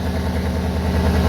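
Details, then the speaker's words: 2003 Cadillac DeVille DHS with a P0410 secondary air injection code, cold idle. Steady low rumbling chuff with no pump whirr. The frame-rail air pump is confirmed not running by hand, and the owner believes the noise is exhaust escaping through the air injection passages opened by the vacuum solenoids. "That pump is not running. That noise, I'm pretty sure, is the exhaust noise, because the vacuum solenoids have opened up the passageway for the pump to pump air in."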